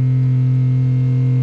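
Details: Schenker Zen 30 watermaker on a small boat, with a Clark pump energy recovery system drawing about 120 W (10 A) to make 30 litres: a steady, even low hum with no knocks or surges. It is running normally.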